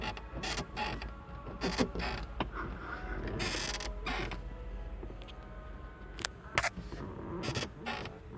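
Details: 2011 Kia Sportage SL while driving: sharp, irregular creaks and squeaks come from the closed roof sunroof over every small bump, and they stop when the sunroof is opened; the source of the creak is unclear.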